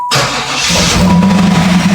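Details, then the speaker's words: 4th-gen Firebird/Camaro LT1 V8 after a fuel pressure regulator fix, hot restart after about 10 minutes of idling: a brief crank, then it catches almost instantly and settles into a steady idle; the long drawn-out starts are gone. "And I'm not getting the long drawn out starts anymore."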